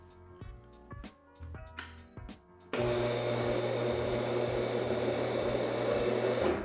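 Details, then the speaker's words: Laguna C-Flux 3 dust collector after replacing both the start and the 50 µF run capacitors, with no improvement: a few clicks, then a loud steady hum that never winds up. Motor still fails to start. "it looks like swapping out both of those capacitors really didn't make any difference."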